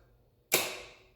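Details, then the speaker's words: Motor control timing relay set to about 3 seconds. After the coil energizes and the delay runs out, the contactor pulls in with one crisp, sharp clack and no chatter or buzz afterwards, which is normal operation. "okay so again about three seconds and this guy energized and power is on"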